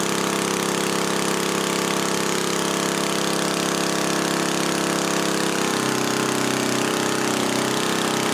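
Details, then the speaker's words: 1977 Briggs & Stratton Model 8 3HP engine on a water pump, not smoking; loud steady buzzing at constant speed, no misses or surges. Normal running; earlier vapor locking came from a rusted muffler hole heating the carburetor. "the engine itself's not smoking um I'm gonna put my attack on it and just the spring get right at 3600 it sounds like it's running just a little bit higher"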